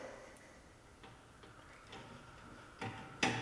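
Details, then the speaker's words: Oliver 1650 tractor diesel after fuel injection pump and injector overhaul, first start attempt: sharp solenoid clicks from the cold-start manifold heater but no starter cranking despite good batteries; electrical fault. "what did i do wrong why do i have no starter huh well that's fun all the batteries are good you can hear the solenoid clicking for the cold start the manifold heater"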